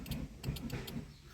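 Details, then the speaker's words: 2010 Fiat Linea with trunk converted to motorized release, activated from center console button: brief whirring motor bursts with a light clunk, cycling cleanly and stopping evenly; actuator working normally. "yine bagajımı motorlu yaptık buradan basıldığında zaten Ses geliyor bagajdaki"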